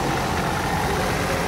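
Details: Cummins Onan 10k QD quiet diesel RV generator, briefly run with the top off after oil, fuel filter, air filter, belt and coolant service, still priming fuel: a steady, even diesel drone with no knocks or misses. It runs normally.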